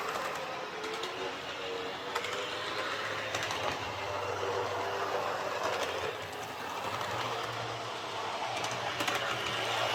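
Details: Airfix Class 31 model diesel loco on the layout after the worm gear was adjusted to stop armature end float: even, quiet rolling hum with light rail clicks. Running smoothly, far quieter than before.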